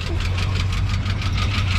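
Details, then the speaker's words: Pickup truck engine at idle: fast light ticking over a deep steady rumble; lifters tapping because oil isn't reaching the valve train, top-end oil seen on the passenger side only, driver's side unchecked. "You can hear the valve knocking. So you can hear how the lifters are tap, tap, tap, ta"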